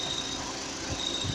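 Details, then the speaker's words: VW Gol/Voyage G6 at idle, with a 6-month-old AC compressor and a replaced belt that did not cure it: a thin, high cricket-like chirp that stops when the AC hose is held by hand and returns when released, meaning the AC hose is vibrating. "Aí por curiosidade, eu coloquei a mão aqui na mangueira do ar e acabou. Vou soltar e volta o grilo. Vou segurar, acabou o barulho, acabou o grilo."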